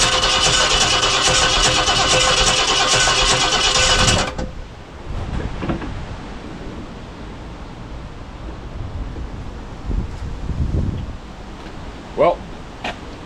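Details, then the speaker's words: 1969 Ford Galaxie XL convertible after work in the ignition area; starter cranks fast and steady for about four seconds and the engine never catches. Owner suspects his own mistake, the cap/rotor, a plug wire, or running out of gas. "by that I did something wrong because that should have started"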